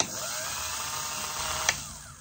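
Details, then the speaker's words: Rebuilt Elson-USA watchmaker's lathe with a Jacobs chuck fitted, spindle turning top-toward-operator: smooth, steady high-pitched spin with no knocks or rubbing, running true. Normal running. "and it does nicely we have the lathe going in this direction so the top is coming down and toward me"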